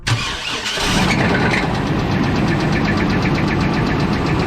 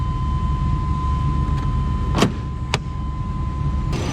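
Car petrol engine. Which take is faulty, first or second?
first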